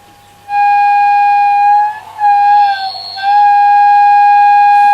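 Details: Selena B210 radio in for repair, on long wave, with the tuning cord slipping now and then: steady, clear high whistle holding one pitch, dipping briefly twice, then returning; unexplained whistle on reception.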